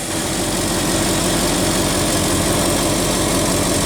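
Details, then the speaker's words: 1969 Ford F-250 V8 with carburetor, after replacing and clamping the PCV valve to fix a vacuum leak and jet adjustments: even low rumble idling steady at about 600 rpm, no misses. "oh yeah looking good look 600 RPM give or take 20 or 40 RPM feeling pretty steady guys I'm loving it"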